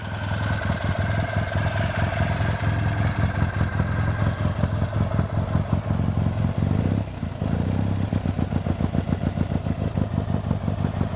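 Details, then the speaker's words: 1964 Triumph TR6R, 650cc twin with a single carburettor and 4-speed, restored with 16.6 miles since, first run in years after draining old fuel, fitting new fuel lines and cleaning the bowl: even, steady idle with no knocks or misses. Normal idle. "so now you can hear it run hasn't ran in a number of years and it sounds very"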